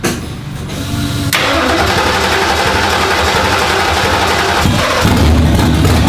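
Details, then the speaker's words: Freshly built stroker Windsor V8 in a budget Fox Body, first start: catches and runs but idle hunts and sags unless throttle is held open; won't idle on its own, causes still to be figured out. "it still wants to be babysat a little bit on the frontal it doesn't really want to idle"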